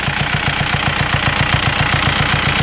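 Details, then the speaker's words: Turbocharged VW Beetle with wobbling power steering pump: steady idle, fast even pulse, loud airy hiss like a disconnected hose, yet the boost check shows it still builds boost. "almost sounds like there's a hose off on the engine. But I checked the pressure, it's building a boost."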